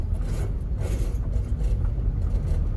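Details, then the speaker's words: 2003 Honda Civic EX automatic, neglected with a hack-job exhaust, driving on bumpy Boston roads: low engine drone under road rumble with rough scraping bursts over bumps as the exhaust pipe drags on the pavement, exhaust scraping on ground. "Except for when the exhaust is scraping on the ground, because it's goddamn Boston. Holy shit, do you feel that? Sounds like somebody's scraping a fucking Lego brick."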